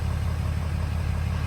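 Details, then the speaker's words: Diesel truck with 150,000 miles, just fired up; the battery needs charging: low, heavy diesel idle with a steady, even beat and no knocks or misses; a normal, healthy idle. "She fired, boys. She fired. 150,000 miles. Slap out of diesel."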